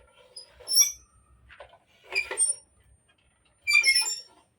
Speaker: when you're moving So to avoid this one we can carry it and move but sometimes we'll just pull it so there's a squeaking sound